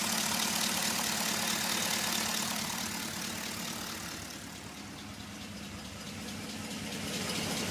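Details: Pontiac G8 V8 at idle after a dealer installed new lifters: light, steady tick about four a second over the engine hum; lifter tick.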